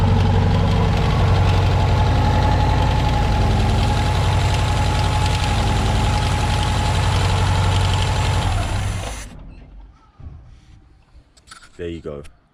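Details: Mark II Ford Fiesta XR2 with rebuilt Weber 28/32 TLDM carb: steady, even idle for about eight seconds, then the engine dies abruptly with no stumble as the solenoid cuts fuel, proving the faulty wiring caused the cutting out.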